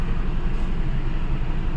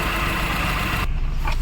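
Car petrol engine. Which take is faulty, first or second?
first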